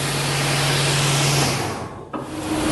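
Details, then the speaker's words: Circular saw blade with thin expansion slots and anti-vibration, anti-noise grooves, compared with a cutting blade lacking them: a low steady hum that eases and shifts pitch with no whistle, running normally. "pour voir la différence entre cette lame là et Madame de débit qui elle n'a ni rainure anti-bruit et des fortes de dilatation assez importantes écoutez vous voyez il y a aucun sifflement"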